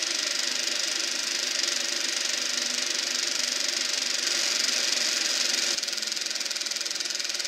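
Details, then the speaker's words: Eberspacher B1 gasoline heater for a VW Beetle, bench test-fired, glow plug hot, battery charger apparently cutting out: fan and burner roar with an uneven, fluttering note sagging near the end; flame not steady, cause unclear. "Well, I'm not hearing a steady flame in there. I think the battery charger just cut out again. Well, this heater's definitely got problems."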